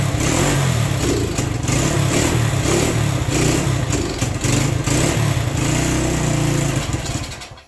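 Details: Worn, re-ringed Honda SL100 single in a 1975 SL125 frame, started cold on choke: uneven, lumpy running, stumbling and surging before dying away; owner suspects carburetor adjustment, possibly timing; rough cold running.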